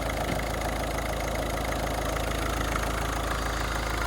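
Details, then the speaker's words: Ford Focus diesel after cam cover refit, oil confirmed reaching the turbo: even, settled idle clatter with a steady beat and no misses or stray knocks; no leaks, no warning lights, running really nice. "so that's good no leaks running really nice really nice for a diesel"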